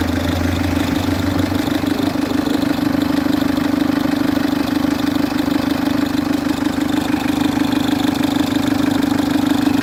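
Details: Citroen C3 HDi diesel idling with a loud steady droning whir from the auxiliary/serpentine belt drive; worn tensioner, to be replaced along with the belt.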